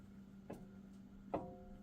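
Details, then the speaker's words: 2018 Jeep Wrangler Unlimited Sport front axle, passenger side: two sharp metallic clanks with brief ring as the axle is rocked by hand, free play from a worn universal joint that needs replacing. "See how you can hear that clanking? So, that universal joint is starting to go"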